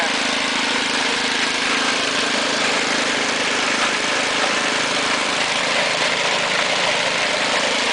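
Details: Ariens two-stage snowblower with 6 hp Tecumseh engine, trash-picked, throttle on fast, auger off: small single-cylinder holds a smooth, even fast buzz with no surging or stumbling; engine and carburetor working well, normal running.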